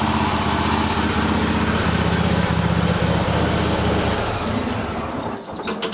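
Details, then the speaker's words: Cub Cadet tractor V-twin missing on the right cylinder at idle, with irregular popping and skipped beats, but fine when revved. The owner suspects dirt in the carburetor, a bad spark plug or plug wires arcing; unconfirmed. "Might be a speck of dirt in the carburetor, but as soon as you rev it up, it's fine. I don't know. Only at idle it fucks up."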